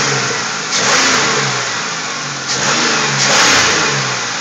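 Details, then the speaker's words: 2000 Pontiac Grand Prix after rear valve cover refitted, valves possibly still needing adjustment: two strong clean rev swells over steady idle, no knock or miss; previous bad engine noise sounds fixed. "oh yes it's sounding good all right all right i feel a lot better now"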